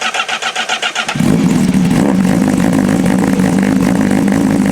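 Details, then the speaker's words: 2025 Honda CBR1000RR-R Fireblade SP with full exhaust, after dyno run: catches after about a second and settles to a steady, even idle; check engine light gone. "Now, it's hard to tell, but even at idle, it sounds way better. Also, there's no more check engine light."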